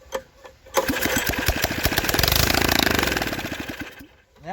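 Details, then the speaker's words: Briggs & Stratton tiller (possibly 5 hp), found flooded and seized; first run after freeing a stuck valve and draining water. It fires quickly into a fast, fairly even popping beat, then winds down; runs properly. "Sounds like it runs pretty good too."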